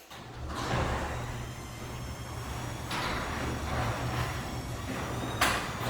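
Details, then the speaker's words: Newly installed LiftMaster 8160W Wi-Fi DC-motor chain-drive garage door opener, 8 ft rail, reopening the door; soft start into an even hum with steady chain travel, no grinding or clunks, quiet and smooth, normal. "Wow, that is quiet and smooth."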